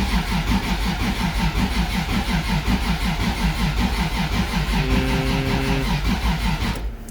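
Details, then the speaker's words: 1.5JZ engine build cranks steadily at about three compression beats a second and never fires; the trigger system reports errors and seems not to read the crank sensor, possibly a plug connection issue that fixed it before. "I've been having issues with the trigger system it seems to not be reading the crank sensor"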